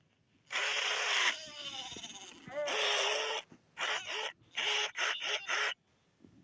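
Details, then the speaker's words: 1998-1999 Furby with a dying speaker: chirpy voice swoops up and down in pitch with harsh fuzzy crackle and distortion over every phrase, getting worse; speaker burning out, to be replaced. "You can hear how the voice pitches go down and then they go back up. You can really hear the distortion."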